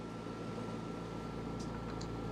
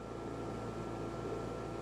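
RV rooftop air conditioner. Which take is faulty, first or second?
second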